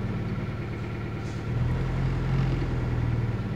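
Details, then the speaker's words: 2000 Toyota Celica GT 1.8L with codes P0300 and P0302: idle lopes unevenly with irregular low thumps about four per second, worst in Drive; misfire on cylinder 2 from a dead ignition coil, weak coil on cylinder 3. "currently showing zero there you go number two when it runs rough this where it tends to do the mire count number two"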